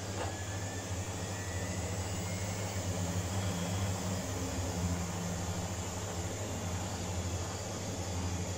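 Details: Washing machine, empty drum, after spider and shaft repair, spinning up toward 1600 rpm with a smooth steady hum and gently rising whine, no rumble or knocking; some noise comes from the drain pump motor; normal spin.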